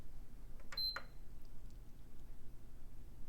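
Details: PS5 CFI-1115A after replacing RAM bank three: single short high beep at power-on, then shuts off again; 1.35 V RAM supply rail measures about 0.2 ohm to ground, a short pointing to the APU.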